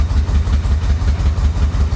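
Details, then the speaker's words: Flood-damaged Florida Corvette running with pedal to the floor after fuel pump resubmerged in tank, smoking heavily; low, lumpy thumping about four beats a second that never smooths out; rough running, cause unknown. "she's running she's also smoking I've got the pedal to the floor this is the best it's done so far obviously it's it's not very happy but it's running"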